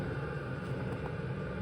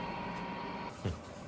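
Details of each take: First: Chinese diesel heater in military enclosure, running about 2 to 3 minutes after lighting, warm exhaust and warm air output: steady even low rumble and hum, no knocks or surges; burning smoothly, normal running. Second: Chinese diesel heater transplanted into a military enclosure, fuel being primed: only steady fan hum and one dull thump, no regular pump ticks; fuel pump not clicking, owner suspects a dead pump.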